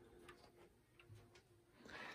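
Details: Emperor grandfather clock, just over six feet tall, with a brass movement, back cover removed during inspection: light, even ticks in a quiet room with no skipping or dragging beat; the movement runs normally.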